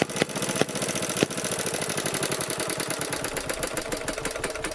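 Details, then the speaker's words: BSA 300 W ex-military generator (Chore Horse), weak spark from open-circuit magneto coil, plug removed and dried: sharp catches, brief run of firing that fades ragged and stalls; hard starting, fires briefly then stalls. "the best firing I've caught on camera so far but then it just gets stubborn again after that"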